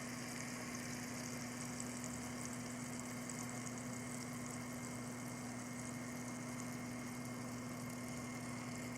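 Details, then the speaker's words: H100i all-in-one liquid cooler after being shaken: steady hum with a hissy, gurgling wash on top from micro air bubbles circulating through the pump, common after shipping or moving. "so duh that is the sound of micro bubbles going through the water cooling loop and that happens just commonly after it's been shipped or moved around a lot air will actually circulate through the pump and that's what makes a lot of the noise"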